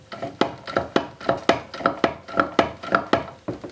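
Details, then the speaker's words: 14.5 HP Briggs & Stratton OHV engine turned slowly by hand: sharp metallic clunks, about two a second, from something loose rattling in the crankcase after it snapped while running; the oil looked bad. Finding: major crankshaft problems. "something rattled inside the crankcase. You can hear it. There's something rattling in there, so we're going to get ready to tear it apart."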